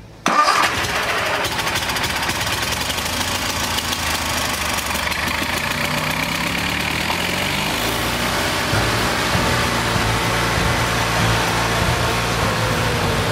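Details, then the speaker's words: Kohler Magnum 20 engine, before carburetor adjustment, battery wearing down, started with carb spray help; catches with a burst then an uneven, lumpy beat struggling to settle; owner suspects a weak fuel pump; hard start. "sometimes you got to give it a little help just to get her to lick off that fuel pump's probably weak i'm probably going to have to replace it"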